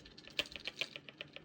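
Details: Delta shower pressure-balance valve behind a bathroom wall, before cartridge replacement: fast, even knocking in the supply pipes, about seven light knocks a second, like a motor running. It stops when a feed valve is shut.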